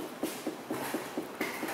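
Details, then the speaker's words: Light, hollow knocks about four a second as the worn passenger-side front sway bar link is pushed up and down by hand with the car lifted and the suspension unloaded. "you hear that little bit of knockin there's just that little bit of movement in a slower joint that's all it really takes"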